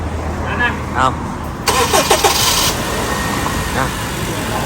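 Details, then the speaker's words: Honda Civic FD K20 started in the morning after sitting overnight, following the fix for long cranking (rusted fuel pressure regulator, extra pressure-holding valve at the fuel pump). Brief one-second crank, then it catches and settles into a steady idle. Normal cold start. "อันนี้ซึ่งเลยครับทิ้งไว้ข้ามคืนนะจบแล้วนะกับปัญหานี้"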